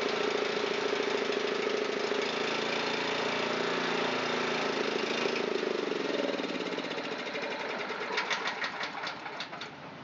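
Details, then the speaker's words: Honda GX270 on a NorthStar water pump, long unused, old fuel, running on choke: rough uneven running, speed sagging and sputtering out; dies with choke off, idle circuits and probably main jet clogged. "It did not work on this machine. It still dies when the choke is turned off. So the idle circuits and probably the main jet in this machine are clogged."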